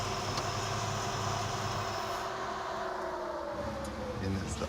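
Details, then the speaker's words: Roadkill Garage red Plymouth Duster on a 1,000-mile road trip, just started after repairs with idle set too fast: dry whirring whine over the idle sagging slightly in pitch; worn, failing idler pulley bearing. "idler. Oh, that bearing's junk."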